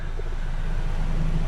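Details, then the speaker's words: 2004 VW Golf, AC switched on: engine hum swells and settles into a slightly heavier steady drone as the compressor clutch pulls in and it blows cold; AC works, though cooling fans aren't coming on. "and it is getting cold it's getting cold"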